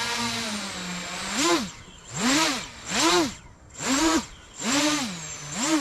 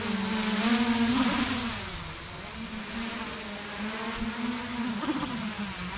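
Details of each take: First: 8-inch FPV drone with P gains raised to 65, field test: five quick throttle punches, motor pitch sweeps up and down cleanly about once a second, no wobble, warble or prop wash; well-tuned, fast response. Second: 8-inch FPV drone in flight during field PID tuning, P gains for roll, pitch and yaw set too high: the motor tone wavers and surges in quick uneven wobbles, propeller oscillation after a roll input; fix is lowering the P gains.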